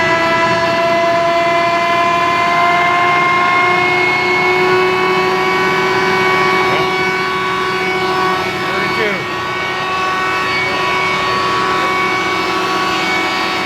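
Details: F12-090 hydraulic motor torn down and reassembled, run with no load on a larger bench pump at over 3,000 RPM. It is reversed to check both directions. Smooth, steady high-speed whine, no squeal, knocking or grinding; runs clean.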